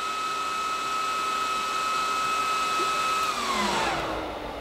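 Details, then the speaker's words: Lenovo ThinkStation P620 (AMD Threadripper Pro) at power-on: loud, high, steady fan whine measured around 68-73 dBA even at idle, then winding down; top RAM DIMM fan connected to the wrong header, running full speed. "so i'm just going to turn the computer on with the fault so you actually hear it so you can see that that's the fan noise quite loud there"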